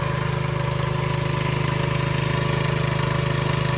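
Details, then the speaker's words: Soft wash system's engine-driven pump after repairing a leaking hose barb on the chemical line, soap at about 1%. Steady, regular pulse of about 220 beats a minute with no air in the line or sputter. Normal pump operation. "I hear no air in the line right now, which is good. No air."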